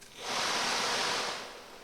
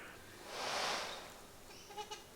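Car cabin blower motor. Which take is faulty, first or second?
second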